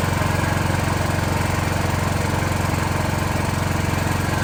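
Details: Automatic backup generator with automated choke and transfer switch, after a real power-fail cold-start test, not run in a while: steady even engine beat at constant speed, no knocks or misses; healthy running under light load.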